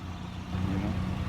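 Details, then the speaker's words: Auction-bought Buick Rendezvous SUV at idle, formerly loud, just after an exhaust shop repair: steady smooth low hum with no rasp, puffing or ticking; much quieter than before, normal idle. "know, it's quiet, way quieter than what it was. You know, after it runs a little bit, it'll settle in, it'll be ready."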